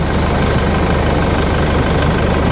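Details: Cheap Nissan Navara pickup diesel bought for £1,500, idling on a hot 26–27°C day: even, low, smooth rumble with no stray knocks or misses; engine sounds quite sweet, a normal idle.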